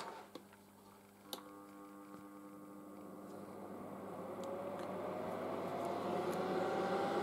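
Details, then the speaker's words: Late-1960s General Electric HD-8C bonnet hairdryer, an unboxing, switched on: quiet at start, then a soft whir climbing steadily in pitch as the fan comes up to speed, running smooth and very quiet; normal running. "it's pretty damn quiet have a listen to this"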